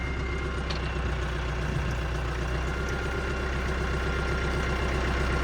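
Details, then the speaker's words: Tractor running a new Massey tedder via PTO after the tongue was shortened: steady, even low diesel rumble with no knocks or clunks, though slight wobble remains in the PTO shaft; normal running. "Still a little wobble in the shaft, but I think I think it'll be all right."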